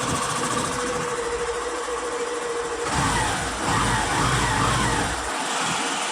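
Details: Hero Passion BS6 single-cylinder motorcycle engine running: busy uneven metallic rattle; suspected timing chain noise, chain to be replaced.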